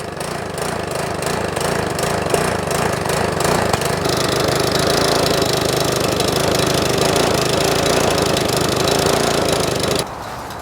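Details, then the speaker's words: Troy-Bilt single-cylinder lawn mower after valve clearance adjustment: loose, irregular chuffing beat that wavers and hunts instead of holding steady speed; cause suspected, not confirmed. "sounds like she wants to come back around"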